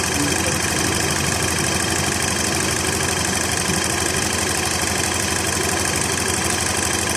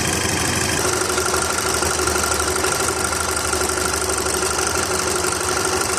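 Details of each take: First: VW Golf/Jetta Mk5 2.0 FSI after timing chain replacement and brittle leaking pipe replaced: smooth even idle with light fast steady tick, no chain rattle or slap; chain no longer noisy, repair successful. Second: VW Golf/Jetta Mk5 2.0 FSI at idle, before timing chain replacement: busy metallic rattle and chatter over a steady idle, fairly constant in tone; stretched timing chain slapping its guides; a brittle leaking pipe was also replaced.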